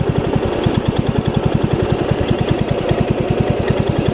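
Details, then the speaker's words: Yard Machines riding mower engine after water-filled engine revival, idle speed being set: uneven chuffing idle about three beats per second with a puffing leak each stroke, a slight remaining compression leak past a damaged valve seat. "almost hear it's got a little compression leak still that's great that is that's something else"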